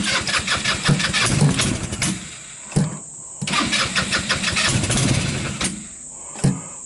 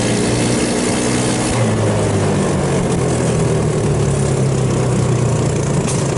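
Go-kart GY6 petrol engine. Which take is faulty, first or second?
first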